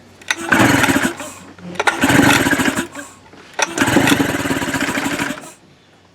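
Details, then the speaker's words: Tracker (Mercury) 9.9 HP outboard unused for a year, starting fluid sprayed into the carburetor throat: three cranking bursts, each firing briefly and roughly before dying. Compression and spark confirmed, so the fault is fuel delivery/carburetion. "right so you can see it wanting to fire there so that confirms that we've got compression and we've got spark and our issue is carburation our issue is fuel"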